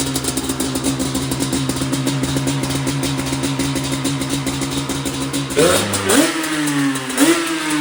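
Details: Yamaha Banshee won from storage unit auction, first run: crisp, even two-stroke idle, then clean quick revs rising and falling smoothly without misfire or rattle; runs healthy.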